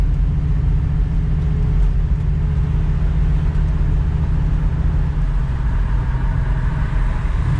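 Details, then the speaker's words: 1971 Chevy Nova LS swap after fitting a new Tanks Inc EFI tank with an in-tank 450 lph pump, replacing a loud external pump: a deep, even engine rumble with no pump whine audible. A quiet, healthy fuel pump. "I don't think I can hear the fuel pump at all. It's much quieter in here."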